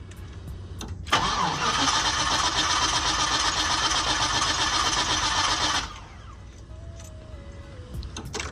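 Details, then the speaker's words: LS-swapped V8 after key cycled three or four times to build fuel pressure: starter cranks in a brisk even rhythm about five seconds with no fire; owner suspects weak fuel pump, pressure dropping fast; pump replacement ordered. "See? It's not hopefully not starting at all. Weak fuse pump."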